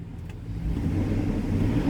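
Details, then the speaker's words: 1999-06 Chevy/GMC truck converted from electric fan to belt-driven clutch fan (cheap fan, slight wobble), revved: engine climbs smoothly from idle to steady rev with strong fan roar; fan working properly. "oh listen to that oh that's like the sound of a fan that actually works"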